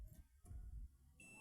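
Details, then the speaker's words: TRX4000 audio amplifier that won't turn on, one channel burnt; a multimeter on continuity beeps steadily for a base-to-collector short. This is considered acceptable because the fully damaged transistor has not yet been removed. "tenemos un corto pero aquí no nota corto Está bien"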